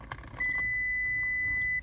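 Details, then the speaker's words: 2000 Toyota Sienna with a non-working horn, steering wheel removed, continuity tester between steering shaft and ground: one steady beep only while the wheel is pushed, so the faulty shaft bearing loses horn ground contact. "so when the bearings bearings is faulty we don't have the contact so now I'm trying to a little bit push the steering wheel and we'll hear the beep that means we'll have the account nudity between the steering wheel shaft and ground"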